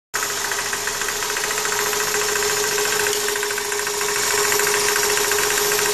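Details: 1999 Toyota Corolla at idle, recorded close to the power steering pump pulley, which is tight: fast, uneven ticking knock about three per second, intermittent but more frequent; owner suspects pump bearings or belt tensioner.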